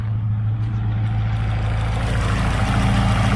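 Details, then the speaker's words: Chevrolet Aveo T250, nearly warm, switched from petrol to gas: even, steady low idle with a regular beat and no shake, while it shakes again back on petrol; normal idle on gas. "бачимо двигун робить рівно робить рівно"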